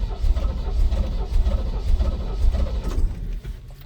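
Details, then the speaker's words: 1971 Chevrolet C20, 350 V8, sat at least a year, on a repeat start attempt. Slow, uneven cranking chugs about twice a second with a few weak catches that never pick up: it fires briefly then dies. Owner suspects stale gas, with debris showing in the fuel filter. "She wants to start. All right, let's try it again. Oh, come on. What's the deal here?"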